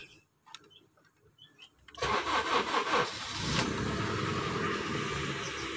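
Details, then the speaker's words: 2008 Honda HR-V after fixing code P1659 ECTS control relay fault (revs stuck at 2500 rpm), codes cleared: starter catches, fires straight up and settles to a smooth steady 900 rpm idle; now revs to 5000 rpm limit. "teman-teman jadi disini untuk rpm nya sudah normal ya nih rpm nya berhenti di 900 RPM"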